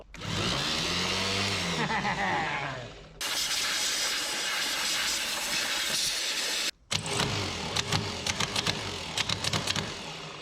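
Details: 1967 Pontiac Firebird sitting about 15–27 years, starter rebuilt and cleaned, bench test: strong high even whir as starter spins up and holds speed; turns freely and sounds healthy.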